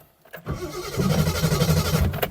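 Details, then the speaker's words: 1972 Triumph 2000 Mk2, 2.0L inline-six, unused for over 20 years, first start attempt on choke: strong even cranking with no firing, cranks but won't start; owner suspects the carbs are empty of fuel. "Yeah, she's starting as should. Spinning over lovely, actually. I don't want to kill it, but I think the carbs is well empty."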